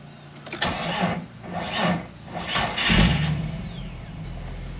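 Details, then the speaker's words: 2000 Jeep Wrangler Sport TJ after fuel tank and skid plate removal and reinstall: starter turns over in several long bursts before the engine catches near three seconds and settles into a rough, uneven idle; an extended crank before starting. "a little bit on a struggle bus there"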